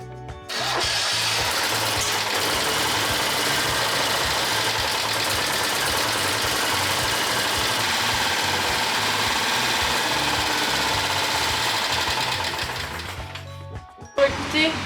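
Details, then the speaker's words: Citroën 2CV engine, rebuilt, first restart after reassembly with throttle linkage just adjusted: catches and settles into a steady, even fast idle with no knocks or misses, smoking quite a bit, exhaust fumes everywhere; runs well. "le verre est terminé ben je suis contente ça tourne bien bon après ça fume pas mal là mais bon"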